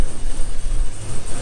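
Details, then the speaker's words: 2500HD that hasn't run for a year: lumpy, uneven idle with a stumbling, irregular pulse from a massive misfire. An exhaust manifold donut gasket leak is also present. "and it's got a massive misfire so let uh let me show you [Music] hear that she sounds like [ __ ] boys"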